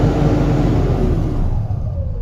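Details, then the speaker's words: Mahindra Blazo BS6 M-Dura tipper diesel after the P0344 camshaft fault fix, MIL check lamp off: deep rumble climbs cleanly as the throttle opens, revving freely without hesitation or holding back. "और अब मैं इसे रेव करूंगा। चलो मैं तुम्हें दिखाती हूँ। इसे आरपीएम में रखते हुए।"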